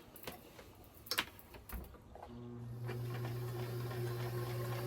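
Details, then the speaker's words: Kenmore 158-1941 metal sewing machine, previously serviced, before cleaning; steady low motor hum with an even mechanical whir, no knocks or scraping: normal running. "So, it doesn't seem to have any issues with the sound."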